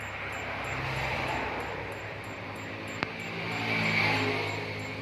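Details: LG Slim CRT TV, dead with no indicator light at power-on: faint high-pitched ticks repeat about twice a second over hiss, like a countdown bomb, then it shuts off; blamed on the horizontal section, usually the horizontal output transistor.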